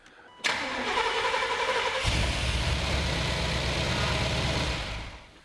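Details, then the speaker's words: First start of the new 7.4L 454 V8 in a 1991 Chevy 454 SS (oil pressure sensor relocated to the oil filter, exhaust studs broken): brief crank, then a deep, steady rumble with no knocks or ticks. Normal start and idle. "that sounds really good that's not so bad for first step"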